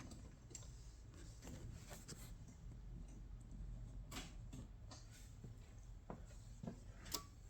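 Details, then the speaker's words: 2000 Ford Ranger 302 V8 turbo swap, original Ford ECU relay replaced by an old generic relay: quiet bay with light ticks, then a single sharp click at key off as the ECU relay now drops out properly. "there goes click turn the relay turns off the power goes away"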